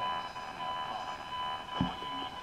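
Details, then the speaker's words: ATS-20 radio with its telescopic whip held by a switched-on ATS-25: constant high whine and thin buzz over the hiss, radiated by the ATS-25's screen; noise stops when the ATS-25 is switched off. "okay so certainly on the telescopic whip this radio is generating quite a lot of noise from its screen"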